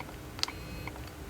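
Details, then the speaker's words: Nikon D90 DSLR with shutter not firing and an error shown: each press gives only a short "woo woo" motor whirr with no shutter snap; shutter unit motor gear cracked with age, fixed by gear replacement. "You can hear something It's a "woo woo" sound, like a motor turning"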